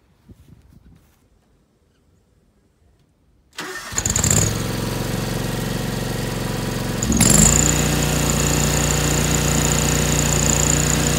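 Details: 2003 John Deere X485 garden tractor with a 25 hp liquid-cooled Kawasaki EFI engine, 660 hours and a just-replaced fuel pump, cranks briefly and catches at once. It idles evenly, then holds a steady higher speed: a normal, healthy start.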